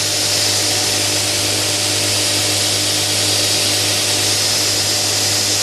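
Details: Newly built DIY 72" x 2" belt grinder on its first run: steady high-pitched belt hiss over a constant low motor hum, no knocks or rubbing. It runs smoothly.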